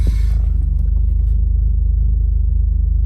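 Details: 1991 BMW M5 with 3.6-litre engine, idling: deep, steady low rumble with an even quick pulse, no knocking or ticking, a smooth healthy idle.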